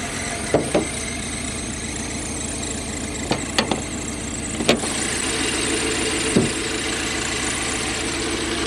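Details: Toyota 1UZ-FE V8 (Surf/4Runner) running on only half its cylinders: flat, lumpy idle lacking the even V8 beat, with sharp pops; misfire on one bank.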